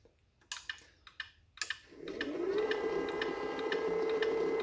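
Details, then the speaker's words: Gate motor run with speed setting turned down to 50 percent of maximum: a few clicks, then a steady motor hum at a modest, even pitch, audibly slower; normal reduced-speed motor run, later reset to 100 percent. "audibly hear the motor going slower so I'm gonna step that position and I'm gonna change it back to your hundred which is a hundred percent of its maximum speed"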